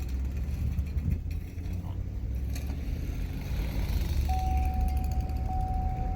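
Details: 2013 Chevrolet Suburban after lifter repair, warm with temperature at mid gauge and normal oil pressure: steady, even low hum, no top-end ticking; healthy. Earlier lifter noise caused by low oil pressure, plus a cylinder misfire.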